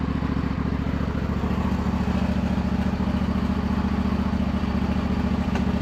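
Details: John Deere L120 riding mower, run after repairs and after bleeding the hydrostatic drive: the small single-cylinder engine runs smooth and even with a steady beat, with no surging or grinding from the drive. Normal running.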